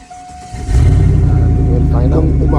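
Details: 1999 Chevrolet Silverado 4.8 V8 at -2°C, after a crank-no-start traced by test light to a failed fuel pump that was replaced: catches after a short crank and settles into a steady, even idle with a smooth low rumble.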